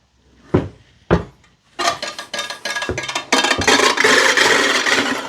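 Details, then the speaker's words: Allett Stirling 43 cylinder mower reel spun by hand during backlapping setup: a few sharp knocks, then a scraping rasp; much more bedknife contact and drag in the in-machine position, easing as the reel tips back and its weight comes off. "So, you can see that there's significantly more contact on the bed knife when the reel is in the position as if it was inside the machine. And as it gets tipped back, the weight of the reel kind of comes off the bed knife and it makes it a little bit easier to spin."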